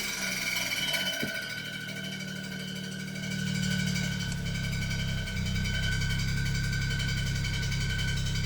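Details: 2007 BMW E92 335i, running engine with a quick, fairly regular metallic rattle, roughly three to four per second, first thought to be the transmission; found to be a slightly bent flywheel.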